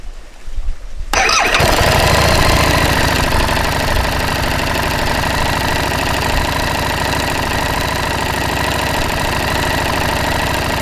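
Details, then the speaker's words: 2018 Harley-Davidson Street Rod 750, DOHC twin with cam chain, 12:1 compression, about 400–500 km old: fires up and idles with a light, busy cam chain rattle over the exhaust beat, already audible at low mileage. "约200km我试驾了200公里。我做到了，但已经有一个凸轮链声音。"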